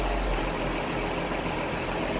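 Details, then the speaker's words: Case IH MX 135 tractor just back from mechanic repair, all new fuel filters: starts and settles into a steady, even, smooth diesel idle with no knocks or hunting; running good. "anyway yeah other than that she's fine fire it up running good running good"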